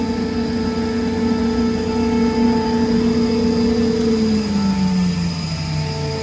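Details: 2002 Comp Air L55 75 HP screw air compressor, 346 CFM at 100 PSI, wired for 460 V, 26,886 running hours, tested good: steady, even hum with a clean whine settling lower as load eases, no knocks or rattles. Healthy normal running.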